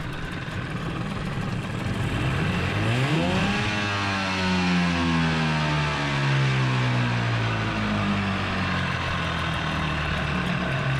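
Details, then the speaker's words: 15 hp Mariner outboard unused for two years, just after carburettor clean, first run, likely not warmed up: revs climb then settle into a buzzy idle that wavers and hunts; running rough. "Definitely doesn't run smooth."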